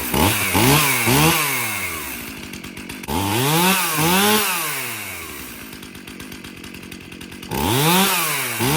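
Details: Stihl MS271 50cc chainsaw after repair of tractor damage (broken handles, chain catcher) and a service with new filters; revs up sharply and drops back to a steady idle several times without bogging: normal running.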